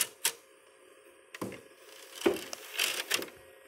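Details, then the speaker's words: Old PS2 that won't read discs: constant dry rattling and grinding from the disc drive at startup and with the tray open, over a faint hum. The browser shows only the memory card and says it is reading the disc. Later cleaned and lubricated. "it makes the same grinding sound so there it is you just hear that constant rattle grinding noise when you're in browser it just shows the memory card and it says it's reading disk and then you just have that constant rattling grinding sound"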